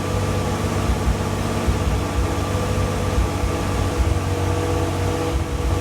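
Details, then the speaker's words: Fiero GT–based kit car (1986 chassis) with rebuilt ignition and fuel systems, warming up: fast, busy idle with a steady low drone and no dip; idle racing too high, owner suspects a vacuum leak, not confirmed. "I noticed that we were having an issue with the idling of the vehicle it's racing too much so it looks like we may have a vacuum leak somewhere"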